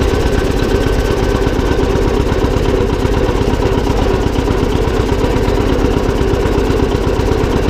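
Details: John Deere 720 two-cylinder diesel tractor, first run after repair: steady, even idle with a regular low chug and no knocks or grinding. The transmission noise is gone; the engine sounds healthy.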